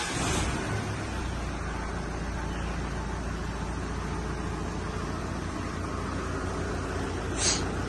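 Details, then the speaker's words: Mitsubishi L200 diesel, hard cold starting and white smoke, after all four burnt glow plugs found and injectors removed for testing: starts immediately, low even diesel clatter at idle with no stumbling amid traffic noise; running normally. "දැන් ගහපු ගමන් start නේ."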